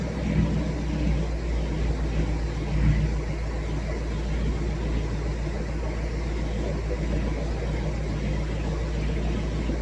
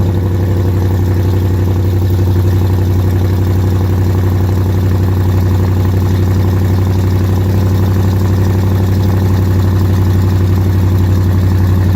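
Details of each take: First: Dodge Challenger RT 5.7 V8 cold start after a BBK long-tube header install, with a check engine light on from the active exhaust actuator: a deep, steady idle rumble, even firing, no knocks, misses or hunting. Normal idle. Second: Dodge Challenger R/T 5.7 V8 at first start after installing BBK long-tube headers: loud, steady idle with a sharp puffing tick on each firing pulse, about three per second; exhaust leak at the clamps, to be fixed.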